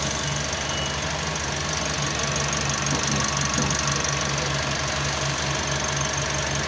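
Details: Toyota Calya/Sigra engine, in a case where a rough engine-bay noise was traced to a faulty water pump, replaced as an assembly. Here an even idle with a low hum and faint whine, no knocks or rattles; sounds healthy.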